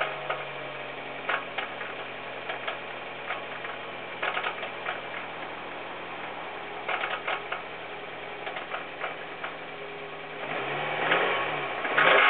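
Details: Hyundai Coupe engine at steady idle with sharp, uneven clusters of metallic ticking knocks; a distorted connecting rod was found to be the cause.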